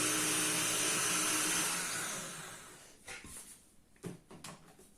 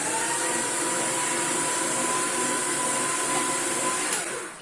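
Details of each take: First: Paper shredder after a jam was cleared, running in reverse: a smooth, even whir for about two seconds that winds down freely with no binding or labouring. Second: Paper shredder jammed with packed, dusty paper bound on the ends of the rollers: a harsh, labouring motor roar for about four seconds that then winds down. Running it in reverse frees the mechanism.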